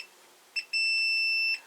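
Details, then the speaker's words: Multimeter in continuity mode testing a 12 V bulb, black probe on the base and red on the centre contact: a short chirp, then a steady high beep lasting almost a second; the filament is intact. "Thiết bị đổ chuông, do đó, bóng đèn là nguyên vẹn."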